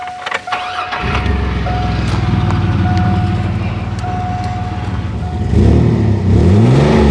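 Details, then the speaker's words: 2004 Chevy Blazer 4.3 L V6 starting and idling: loud, raspy puffing from an exhaust leak where a splined bolt broke off the flange joining the catalytic converter pipe to the muffler, before repair. "I noticed it was getting a little louder and climbed underneath it to find that it has an exhaust leak the flange that holds the pipe that goes between the catalytic converter and the muffler a bolt just completely broke off of it"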